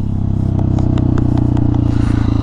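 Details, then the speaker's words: 2018 KTM XCF 350 four-stroke single riding after replacing a cracked fuel pump filter: pulls cleanly with a steady, even exhaust beat, no bogging or sputter, even in fifth gear; more power, fuel delivery healthy after repair. "it definitely has more power I can tell you that right away I can definitely tell it has more power it doesn't bog it doesn't sputter"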